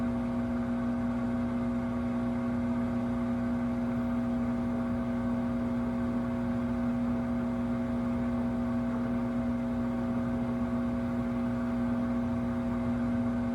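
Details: 2023 Samsung WW25B6900AW/A2 front-load washer, 5 months old, makes a loud, steady, low-pitched buzz of about 70 dB, present since the first month. It turns to a quieter hum when draining water and gets louder with no water to drain.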